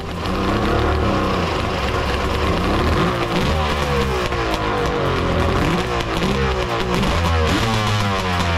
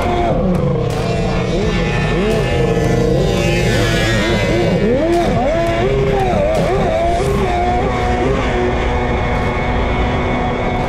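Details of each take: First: Three-cylinder two-stroke 1200 R engine in a mini jet boat with triple pipes, header re-welded and midpoint pipe brace added: loud crisp roar, revs rising and falling, even exhaust note; all three cylinders firing, sounds good. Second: Mini jet boat with a three-cylinder two-stroke 1200 and triple pipes (header re-welded, new pipe brace), running on the water. Loud revving with wavering, uneven pitch that sounds a little weird; owners suspect it is running slightly lean, unconfirmed.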